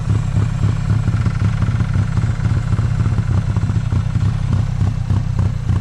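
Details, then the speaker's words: 1995 Honda Acty carbureted engine idling rough after jump start at 27°F, unused 2–3 weeks; lumpy, uneven low rumble stumbling about three per second, likely flooding, heavy white smoke, gas pouring from air filter and charcoal canister; owner suspects stuck carburetor float. "Uh when it did start, it idled rough as hell and there's a lot a lot a lot of white smoke and there's a bunch of gas pouring out. Like the carburetor float is stuck."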